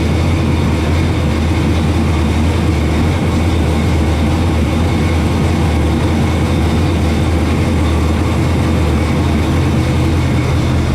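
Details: 1965 Chevy II Nova wagon with 700R4 automatic: deep, steady, even idle rumble with no knocks or ticks, boomy from exhaust dumping under the car; healthy idle.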